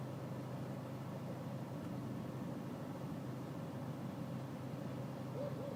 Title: BMW E46 320cd 2004 auto FL rough idle